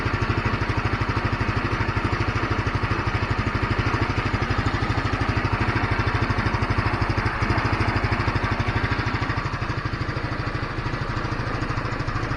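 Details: GY6 scooter that kept dropping RPM and dying after a week sitting, now after cleaning the carburetor main jet: low even thumping idle, no dips or stalling. RPM stable; idle normal, problem fixed.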